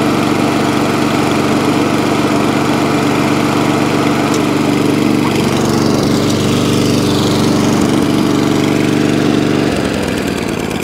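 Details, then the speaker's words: Atco Balmoral 20-inch mower, Tecumseh engine, after carburetor clean and mixture-screw tuning; steady, even drone with no misses or hunting, then cuts off cleanly, no fuel leaks; repaired and healthy. "so it starts runs drives cuts and stops and even now no fuel leaks one echo barrel moral saved spares or repair back up and running in the mixed mower shack"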